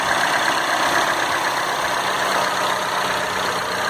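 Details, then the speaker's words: Citroën C4 Lounge THP at idle after a few revs: the diesel-like clatter heard at cold start has faded to a soft, even hum. The engine has settled; the cold-start noise is described as a chronic Citroën issue. "Agora o carro tá... O motor tá sereninho. No começo tava aparecendo o carro a diesel aí, ó. Tá sereninho o motor agora."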